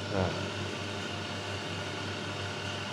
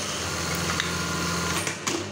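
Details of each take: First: Brother 814 (made in Japan) buttonhole sewing machine with the stop timing out of adjustment: a steady low motor hum cuts off with a sharp, hard clack as the knife drops; the stopper does not sit where it should, so the stop timing is incorrect. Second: Brother 814 (made in Japan) buttonhole machine after the stop timing was readjusted so the stopper passes correctly: fast, even needle-bar clatter with a steady hum and a clean knife drop at the end, running normally.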